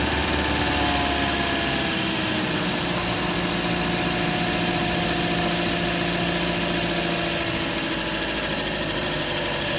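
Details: Toyota Auris at idle, heard under the hood near the alternator: a steady electrical hum with tones drifting in pitch early on. The owner found it unlike a bearing or belt noise.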